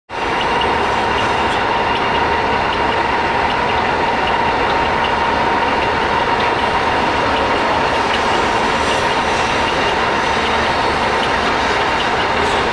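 Loud, steady mechanical roar with a thin constant whine riding on top while the spindle runs in gear; gearbox noise, cause unclear.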